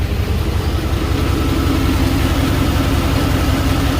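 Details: Chevy Caprice LT1 V8 idling with old Super 44 mufflers, before sealing with red high-temp gasket maker: low, lumpy idle with pulsing exhaust puff about two beats a second; manifold exhaust leak at the port.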